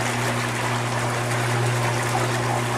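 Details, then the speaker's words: Standard single-speed induction pool pump motor on a test tank, about 80 gallons a minute at about 13 psi, drawing about 2 kW: steady low motor hum with rushing water, no rattle, grinding or surging; normal running. "pump running, we're pumping right about 80 gallons a minute. Pressure against the pump, this you would read on your filter, is right about 13 psi."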